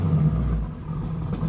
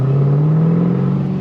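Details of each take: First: 2010 Camaro SS M6, Edelbrock TVS supercharger at 10 psi, Comp cam, LT headers, straight-piped exhaust, poorly set ZL1-based tune running on MAF only with audible spark knock, driven: revs sag back slowly and unevenly off throttle; throttle hang from bad tune. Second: 2010 Camaro SS, 6-speed manual, Edelbrock TVS supercharger at 10 psi, 234/244 cam, LT headers, straight-piped exhaust: deep, steady rev with a smooth, even drone. The popping is gone. Runs clean but still needs tuning.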